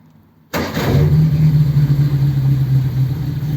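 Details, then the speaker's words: 100E after points and ignition fiddling: engine starts at once and holds an even but quick high idle that never drops back; charge light goes out, idle set a bit fast, charges when revved. "and you can see the the light has gone out cuz I think the idle's a bit fast to be honest"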